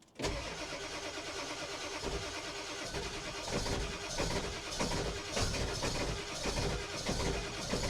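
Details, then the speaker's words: Ford 7.3 diesel truck after sitting in snow overnight, wait-to-start light out; sluggish, uneven cranking at about ninety strokes a minute, never catches, oil pressure up; slow crank from worn-out batteries. "Boy, it's trying. Oil pressure is up. No, batteries are just they're just cooked."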